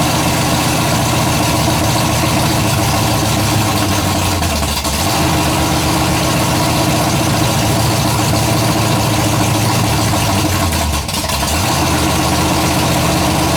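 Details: Freshly built 427 big-block V8, first fire-up, idling after a little warm-up: loping rhythm with a faint light tick on top; builder hears one valve with loose lash and plans to adjust the valves.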